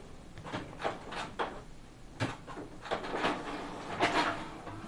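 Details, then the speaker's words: Lower Epson inkjet printer printing several copies, quiet mode off, standard setting; gears previously lubricated several times with grease: soft irregular clacks and carriage sweeps, no harsh grinding; normal printing. "Ya, suaranya hampir sama. Jadi nggak muncul bunyi kasar karena memang beberapa kali udah pernah saya kasih ini pelumasnya."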